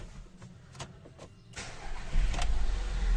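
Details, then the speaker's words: 2008 VW Passat B6 1.8 TSI after injector cleaning and seal kit replacement: starts on first crank, no fault codes, settles into a steady, even idle without shaking; normal start. "двигун запускається з оберта ніяких помилок У нас немає двигун працює стійко не трусить його робить рівно"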